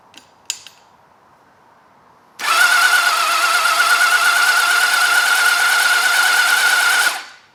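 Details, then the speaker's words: Old four-cylinder motorcycle (XJ650/CBX750 project) cranked with the spark plugs out and WD sprayed into the cylinders, checking for spark: a steady high starter whine with a fast, even spin and no compression chuffs; the engine turns freely. "Right, batteries hooked up properly. I've taken the plugs out. Uh, squirted some WD down the cylinders. So, I'll wind it over for a bit and we'll see if we got some spark."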